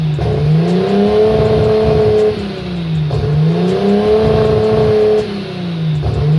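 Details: RB25 Neo engine with a high idle problem: idle hunts up and down about every three seconds in a slow cycle. Smoke and propane tests found no vacuum leak; the throttle plate is set too far open. Idle surge.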